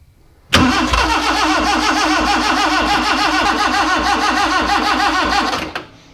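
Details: Freshly built Morris Minor, first start attempt with no oil pressure yet and carburetor mixture screw reset to about one turn out: about five seconds of brisk, even cranking that never catches; cranks but won't start, cause unconfirmed.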